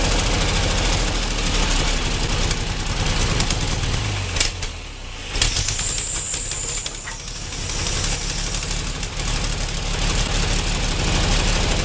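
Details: Ford 8N tractor after rebuilt carburetor, accelerator pump working: lumpy uneven beat with sag and stumble, never settling into clean idle, problem unchanged; fuel line flow to be checked, possible fuel starvation; running rough and dying.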